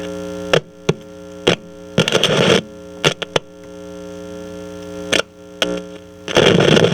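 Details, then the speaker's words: 1963 Channel Master 6520 eight-transistor radio with the AGC diode removed. Steady buzzing hum with harsh crackling overload bursts, because no AGC voltage develops to cut the gain. Distortion from a suspected failed AGC diode. "yeah i know why it sounds like that it sounds like that because it's overloading because there's no afc i'm not afc agc avc agc without the diode working it's not developing any voltage to to cut the gain down"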